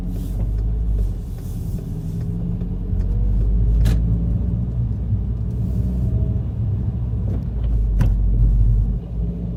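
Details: VW Golf GTI mk5 driving: deep road rumble broken by sharp isolated clunks from underneath. The source is still unknown after replacing engine and transmission mounts, stabilizer link, front/rear suspension, strut mounts and bearings, and the CV joint.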